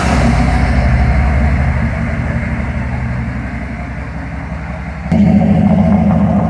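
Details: 6.5L turbo diesel pickup with straight-piped exhaust, rolling test drive after replacing passenger-side exhaust manifold gasket: deep, even rumble under load, smooth exhaust pulses, no ticking between firings; manifold leak fixed, exhaust sounds normal.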